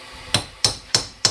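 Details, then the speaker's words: Boat trailer wheel bearing replacement, bearing race driven in with a hammer: four sharp blows ringing hard and high about a third of a second apart; sound changes once race is fully seated. "Well, you know it's seated. It's where it's supposed to be."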